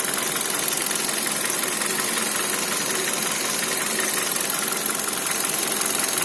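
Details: Kia Cerato 1.6 engine at idle: light, fast ticking knock at about three per second over a thin idle; owner unsure whether the timing chain or the pistons.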